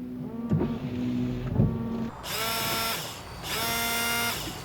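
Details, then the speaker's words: Key on, washer switch pressed twice: two clean one-second bursts of steady electric buzz from the windshield washer pump, showing the electrical side of the washer system works normally. "So, if we can hear the buzzing sound, electrical part of the system is working properly."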